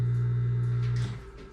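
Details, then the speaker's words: Circulating pump removed from a Lochinvar Shield SNR 126-065 commercial water heater, bench-tested on a GFI outlet: a steady low electric hum, then it winds down quietly. The pump motor runs fine. "that was it guys so the pump actually runs wow"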